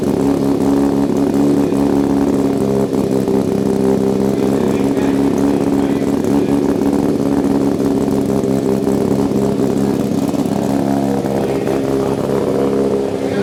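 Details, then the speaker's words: Mazda RX-7 rotary after a manual swap and rewiring, first start; busy idle far too high and steady, never settling, because the brake booster vacuum port is left open without its one-way check valve; high idle from vacuum leak. "what you hear in the video is not how the cars are actually gonna sound that idle is way too high we still have if you look here we still have an open vacuum port which goes to the brake booster here"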